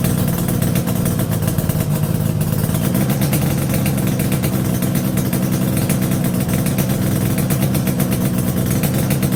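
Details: Yamaha RD350YPVS F2 two-stroke twin after full rebuild (bearings, seals, rebore), plugs were loose on first run; steady even low burble at constant speed, no rattle, knock or misfire; normal idle.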